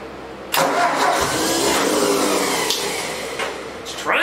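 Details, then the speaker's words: 1964 Ford 4000 tractor, first start attempt after points-to-electronic ignition conversion: starter cranks steadily for seconds while engine coughs and tries to fire but never runs; hard starting. "It's trying to start."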